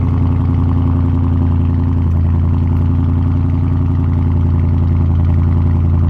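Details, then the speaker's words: Dodge Charger Scat Pack V8 cold start: deep, steady, even lumpy rumble with no knocks or ticks, loud exhaust; normal cold start. "cold start on my Scat right now."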